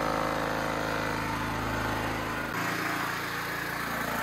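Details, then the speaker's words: Champion C49055 4.5-5.5 kW generator with Honda GX270-clone single-cylinder engine, converted to propane tri-fuel carb, idle being adjusted: engine pitch rises and drops rather than holding speed, rpm bouncing around; governor hunting at idle. "i hope you can hear me but i adjusted the idle for the load speed here you can turn up and down the rpm um it's bouncing around"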